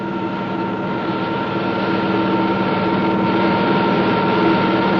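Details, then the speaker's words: Propeller model in water flowing at constant speed and pressure, with propeller rpm increased continuously: a steady hiss with fixed tones, building as speed rises, as bubbles form and collapse. Onset of propeller cavitation. "The noise is generated by the collapse of these bubbles as they move into the higher pressure in the diffuser."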